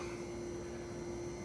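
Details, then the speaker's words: 20 hp AC installation after leak test and charging: the outdoor condenser runs with a steady, even fan whir and mid-pitched hum, no knocks. It sits in a small light well, fan set for high static, 8.8 suction and 18.5 bar. Normal running. "Hey guys, last update for today. You can hear the condenser running behind me. Got it operational."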